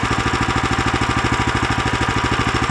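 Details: New Lifan LF390QE Pro (heavy duty, GX390-type) replacement petrol engine on a flail mower, rubber-mounted, started on choke with booster pack on a cold day: even steady single-cylinder thump, no knocks or misses; runs fine.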